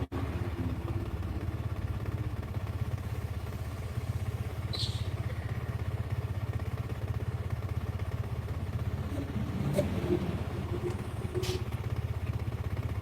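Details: Small single-cylinder motorcycle at idle after repair; low even steady beat, no top-end rattle, earlier frightening noise gone; healthy, pending test ride.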